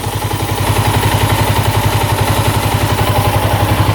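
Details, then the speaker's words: 1987 Yamaha SRX 250 motorcycle that the seller said would not run: it now idles at about 1200 rpm with the choke off, with even exhaust pulses and no knocking or smoke; the petcock leaks a little fuel; a healthy idle. "Idling perfect. 1200 RPM. Man, does that sound good?"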